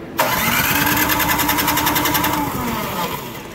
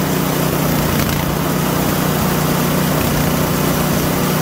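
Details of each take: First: PowerSmart DB7651-24 snowblower that sat with fuel in it; the gas looks clear with no water: steady cranking around three and a half turns per second without firing. Spark and compression are good, so a dirty carburetor is blamed and ultrasonically cleaned. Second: PowerSmart DB7651-24 snowblower that wouldn't start after sitting with fuel, now after an ultrasonic carburetor clean and rebuild: the small single-cylinder engine idles loudly with an even, steady beat and no misses or sputter. Normal idle.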